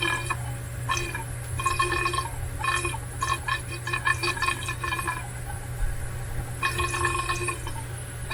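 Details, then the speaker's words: Water pipe with the valve locked off tight: constant hiss of flowing water with gurgling and ticking bursts; cause of the flow and noise unknown. "It's all tight, tight. But when you lock it off tight, it makes noise."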